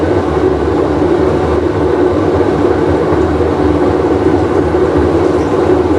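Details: Whirlpool Cabrio washer with bad bearing, full wash cycle; heavy steady roar with low droning rumble through spin; drum bearing roar.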